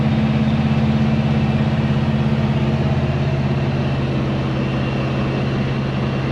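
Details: 1970 Chevy C10 pickup, 327 small block, HEI distributor, after ignition timing was corrected: even, steady V8 idle with a smooth low burble, no misses, stumbles or knocks; running healthy.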